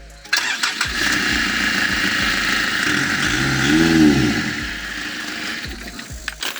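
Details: Nissan E25 ZD30 diesel with intermittent hard or no-start after a head replacement. It cranks briefly and catches promptly, settling into a steady even run with no stumbling. The injection pump was diagnosed defective and was being changed.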